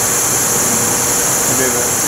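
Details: Chevrolet Trailblazer with a misfire and performance issue, tested for a bad ignition coil: a steady high-pitched hiss over a faint idling engine from a vacuum leak, with a further leak found elsewhere.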